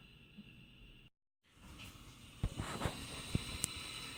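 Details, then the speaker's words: Home-built 40-meter direct conversion receiver, after its AF amplifier hum was fixed, gives an even hiss of band static with faint CW Morse signals underneath and no hum; working normally. "know if you can hear that that is just static and actually if you're listening carefully you can hear some CW"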